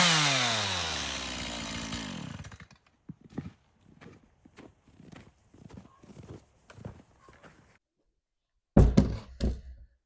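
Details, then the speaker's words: Stihl MS170 30cc two-stroke chainsaw brought in as a no-start, thought to have been flooded and possibly on old ethanol fuel. It fires and runs smoothly at high speed, then winds down. Normal running. "well it runs I think he had it flooded"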